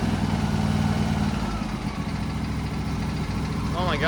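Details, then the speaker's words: Craftsman T3000 riding mower, Briggs and Stratton V-twin, 103 hours, right after replacing surging carburetor with BUTOM kit: catches after choke and settles into a steady, even idle with no hunting or surging. "it aisle is beautiful"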